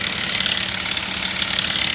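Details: 2008 Subaru Outback L.L.Bean 3.0L flat six with 200k miles, idling: fast crisp metallic rattle; loose timing chain suspected, and the timing cover was removed to confirm.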